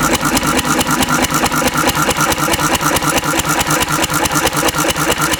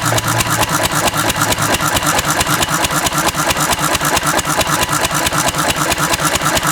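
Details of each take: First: Antique Cushman Cub 4-stroke 3 hp governed stationary single on about 90% Zippo lighter fluid, mixture richened: slow lumpy heavy chuffing about two beats a second with black smoke and backfire; running rich, close to flooding. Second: Antique Cushman Cub 4-stroke 3 hp throttle-governed stationary single running on about 90% Zippo lighter fluid: crisp, even firing at a fast steady beat with no misses or stumbles; normal running.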